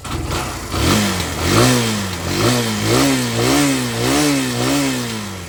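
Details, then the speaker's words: Barako 175 single-cylinder cold start after carb tuning, float valve seat, cleaned air filter, fresh gasoline, extended plug wire, new plug cap, valve clearance: catches quickly and settles into a steady, lumpy idle. Clean start. "Yan. Testa na. Malamig siya. Malamig ang makina. Yan oh. Malamig yan. Malamig ang makina niya."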